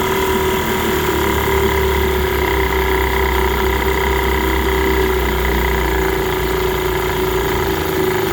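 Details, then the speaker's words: 1946 Elgin 1.25 hp air-cooled two-stroke outboard in a test tank, running on ethanol-free gas after cleaning the varnished tank, carburetor and fuel line, cleaning the points and adjusting the touchy carb; steady, even buzz with no misses; normal running. "it started up and seemed to run pretty good once I got the carburetor adjusted it's pretty touchy but I got it dialed in it seems to be doing okay"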